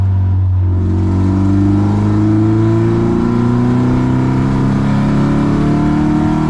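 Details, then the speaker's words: Old Toyota on Nürburgring Nordschleife track weekend, engine revving up with a raspy chuffing edge over the note: exhaust blowing, leak suspected to be a loose joint or possible snap. "But sounds like I've got an exhaust leak as well, so we'll go back and try and figure that out."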